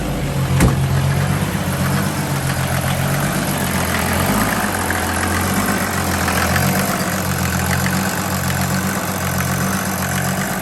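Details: Wagon swapped with an OM606 diesel, after replacing a rusty fuel tank that caused low fuel pressure and bleeding air from the injection lines, new quieter pump: even, low idle clatter with steady beat and no stumbling; idles healthy.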